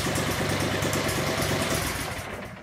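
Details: Cub Cadet 3205 tractor with Kawasaki engine, seat-to-tank parts removed, no hydraulics, power steering, deck lift or forward/reverse: steady small-engine idle with even quick beat, no knocks; engine and drive shaft fine, charge pump suspected.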